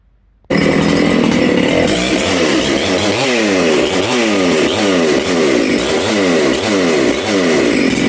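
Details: Makita/Dolmar 7900 85cc 54mm big-bore chainsaw, carb limiters removed, needles started at one turn: revs rise and fall with burbly top end; low jet was lean, nearly died when leaned further, so richened.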